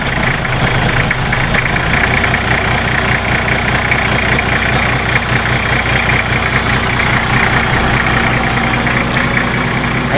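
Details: Nissan Patrol GQ TD42 diesel that ran out of fuel and would not start: steady idle with even clatter of about two to three beats a second, no misfire once fuel was bled; normal diesel idle.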